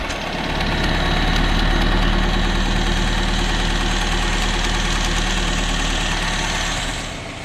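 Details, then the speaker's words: Freshly rebuilt engine (old one had a starting knock, suspected rod bearing) at first start, slowly warming up: loud idle with a steady fast tick about four a second; the loose exhaust is banging around. "I put the exhaust hanger on at the trans, and it got rid of that noise it was making, that ticking. That was the exhaust banging around."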